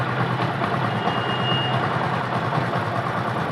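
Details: Bike that stalled while riding, kick-started with the battery line disconnected after the RR (regulator-rectifier) unit line was connected. It starts on one kick and idles evenly with a smooth low beat, no misses or surging.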